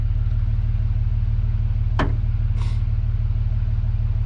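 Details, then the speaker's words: 7.3 Powerstroke diesel after injector change, turbo rebuild, new glow plugs and wiring: steady even cranking about three turns a second that never catches after wait-to-start; no start while fuel system re-primes after injector work. "Dang, this is the hard part. And after an injector change, it's ridiculous. Trying to get everything primed back"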